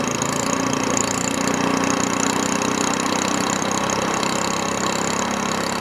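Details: Cold SPS longtail mud motor just filled with 10W-30 Royal Purple synthetic oil plus Bestline treatment, giving a busy, even clatter at steady speed with no knocks or misses; normal running.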